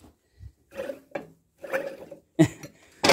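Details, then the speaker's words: Car wheel bearing spun by hand: rough, uneven growling bursts each turn, no wiggle or play yet loud on the road; worn wheel bearing, being replaced. "sounds like there's some animal in there. Listen to that. Yet it's still tight. There's no wiggle, there's no play, but it's tight."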